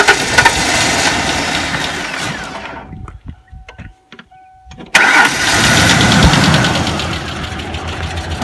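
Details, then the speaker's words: 1994 Ford Ranger long-sitting: starter whirrs, engine catches and settles into a slightly lumpy idle, not firing cleanly on all cylinders; misfire. "Nope. Still ain't running on all cylinders. But it is running."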